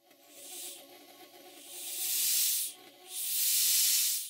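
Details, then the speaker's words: Newly rebuilt Stuart 504 model boiler on first steam test in the workshop, gauge at 50 psi: harsh hiss swelling and dropping in long bursts with no low end, the safety valve blowing off at working pressure as it should. "the safety valve is blowing off and making the usual Stewart models horrible safety valve noise but on this I really cannot change it to anything else but this it's traditional that"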